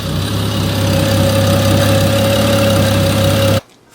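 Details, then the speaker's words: 2011 BMW E90 335i after coolant reservoir tank replacement: idle with a low uneven beat and lumpy pulse, then shuts off; owner says it sounds like it's dying, no cause identified. "And only God knows when my car sounds like it's dying right now. Ah, these BMWs."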